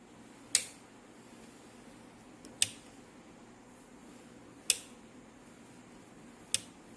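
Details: Thermaltake LitePower 450W PC power supply, which shorted after 2 months, making sharp, crisp ticks about every two seconds over a quiet, steady fan whir.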